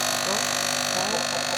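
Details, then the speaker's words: Discarded coffee maker picked up from the street: steady thin high buzzing drone from the small pump straining to push water through a clogged line; after clearing the pump with a syringe it worked again. "Donc on a testé la pompe avec la seringue et ça a refonctionné direct, donc hyper content."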